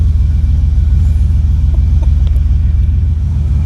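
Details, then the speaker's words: 1985 Monte Carlo with single-turbo 4.8 V8 and 4L80E, restarted after an exhaust leak under the header wrap was fixed from underneath; deep, steady exhaust rumble, even pulses, no puffing or ticking, quieter than before; normal exhaust note. "that sounds a lot better. Like before, it was loud. Now it's toned down, but it sounds better."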